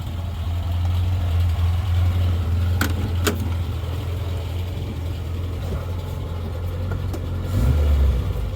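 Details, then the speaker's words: Morris Minor engine, first start after 20–30 years in a garage, fresh oil change and points, plugs carboned: steady low idle rumble whose noise eases a bit with the clutch pressed; source unclear, owner wonders about the alternator. "that noise goes away when you push the uh goes down a bit when you put the clutch in that's the bite"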